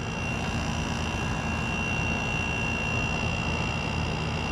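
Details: Kool King window air conditioner, first startup of the season after cleaning, on a 70-degree day: steady, even fan rush with a constant compressor hum, no rattles or cycling. The coils are getting cold and it runs and cools normally.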